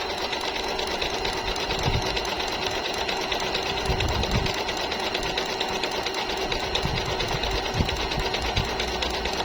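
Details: Jaguar MP-006 multi-stitch sewing machine, good as new, sewing fine zigzag with size 14 needle: fast, even stitching chatter at steady pace, no knocking or grinding; healthy machine running smoothly.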